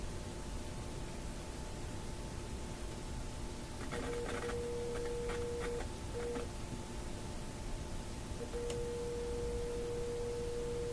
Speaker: That's coming through pretty clear.